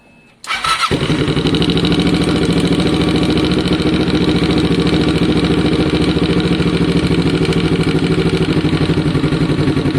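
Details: Kawasaki ER6n project bike with new spark plugs: catches right away and settles into a steady, even idle with a firm low pulse and no misses or knocks; engine healthy.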